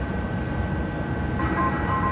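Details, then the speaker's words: During cataract surgery, the irrigation and aspiration handpiece gives a soft steady hum, then short steady pitched notes; rising pitch signals more vacuum at the instrument tip. Infusion and aspiration are working normally. "so this sound indicates that there is infusion and aspiration through this instrument if we didn't have the sounds we really would only have visual cues as to what's going on with the performance of that instrument"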